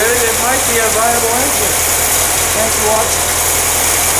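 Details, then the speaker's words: Old engine being test-started after a generator swap, on fuel left in it for about two years, with the choke held closed. It runs steadily with a slight stutter coming off idle, then smooths out as it warms up; it sounds viable. "a little bit of a stutter off the island that sounds pretty good"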